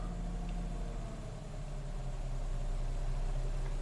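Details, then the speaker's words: 2006 Nissan Xterra with 209k miles during an idle relearn after repairs. A steady low idle sags briefly, then climbs back and settles evenly, showing the engine relearning its idle speed as expected. "Alright, let's see if it learns the idle. It is coming down. And it's coming back up."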